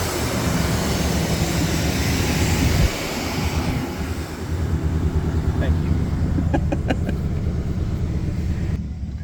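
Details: 1992 Chevrolet C1500 with a 350 TBI V8 and automatic, after a new fuel pump assembly and spark plugs: a deep, even V8 rumble settling into a steady idle with no misses or stumbling. The fuel pump was the whole problem; it now idles smoothly.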